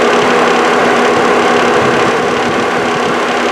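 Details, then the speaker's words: 1998 GMT400 Suburban with retrofitted 2008 GMT800 seven-blade electric radiator fans: steady fan whir with a faint quick ticking rattle from one fan blade lightly rubbing something. "This one, it's hitting something ever so slightly. You can hear that little rattle type sound, but they're running."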